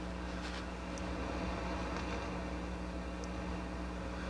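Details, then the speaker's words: Akai GX-230D open reel deck before overhaul, tape monitor side: low steady hum with soft hiss that stays the same whatever input is selected; source unknown. "this noise is concerning though it shouldn't be making this noise on the on the tape monitor side that's independent of the inputs"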